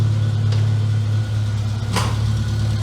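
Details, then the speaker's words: Classic Mini MPI small petrol engine after rebuild and head gasket repair, coolant just filled, warming up: steady but raised idle hum that doesn't drop back; idling a bit too fast. "want to see how that coolant reacts seems to a little bit high again"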